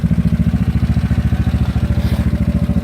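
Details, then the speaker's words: GY6 scooter single-cylinder engine idling at about 1,500 rpm; the idle rose on its own. Steady, even putter with no knocks or misses. Normal idle. "it sounds pretty good again it's keeping this idle oh now it's actually 1,500 rpm it kind of went up on his own"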